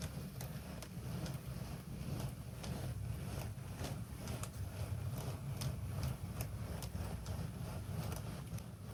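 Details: Bachmann 94XX Pannier tank DCC model locomotive, very low geared, sound off, pulling a load on a 2.35° gradient descent: small motor whirr with ticks about twice a second and uneven, jerky running; cogging suspected.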